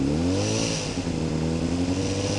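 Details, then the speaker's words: 2007 Honda CBR600RR motorcycle, recently bought: light buzzy rattle over the exhaust note between about 3,000 and 4,000 rpm, seemingly from the front; owner suspects a vibrating headlight or license plate, reportedly not the cam chain tensioner. "there's this annoying rattle I find between 4,000 or 3,000 and 4,000 RPM and I've been reading online that it's not the cam chain tensioner cuz that would happen at all different RPMs"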